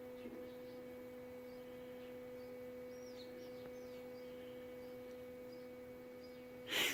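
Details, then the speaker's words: Tankless gas water heater after flushing and service, gas and power restored: a steady low hum with a brief modem-like warbling chirp as the unit powers up and readies to fire; normal startup. "basically that's the unit getting turned on they'll hit a little sounds like a 56k modem going around there anyways that's the unit getting ready to fire and to work"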